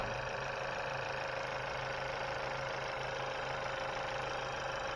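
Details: 2020 Chevy Malibu 1.5 turbo, first start-up after vacuum pump replacement and oil and coolant refill, throttle untouched: smooth, even idle with a steady low hum, no knocks, misses or hissing leaks, no fuel leaks seen; healthy idle.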